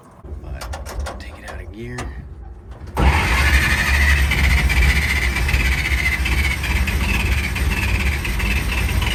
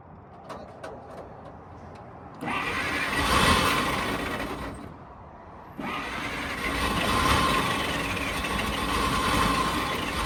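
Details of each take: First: 1940 Dodge VFA32 winch truck, 85 years old, first start: about three seconds of cranking, then it catches and runs roughly, sagging and nearly dying near ten seconds; fuel starvation. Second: 1940 Dodge VFA32 winch truck, 85 years old, first start, with a major radiator leak found: cranks, catches and settles into a steady, even idle with no knocks or misses. Normal idle.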